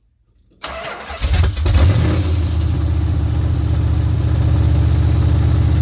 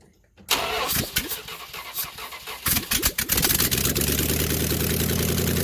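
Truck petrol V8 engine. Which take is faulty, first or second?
second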